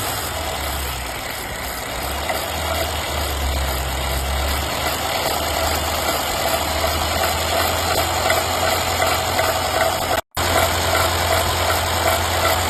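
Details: Mercedes-Benz M278/M276 petrol engine with petrol bleeding issue: steady idle with a light, quick ticking over the engine beat while throttle is added; abnormal tick, exact source unconfirmed.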